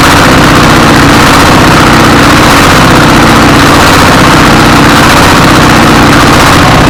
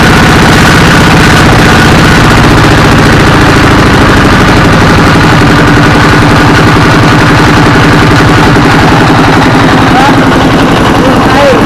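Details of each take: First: 24 HP single-cylinder diesel S1115 with hunting idle, speed rising and falling unstably, with thick black smoke; uneven thumping; governor reportedly fine, injection pump suspected. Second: Single-cylinder 24 hp S1115 diesel chugs with a steady, even thump, running smoothly without hunting after the injector assembly and injection pump were replaced to cure black smoke and unstable, surging revs.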